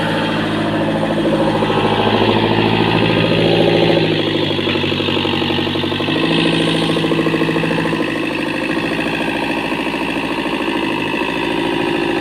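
Diesel idles with a lumpy, uneven beat of about three to four pulses a second; it sounds like weak compression.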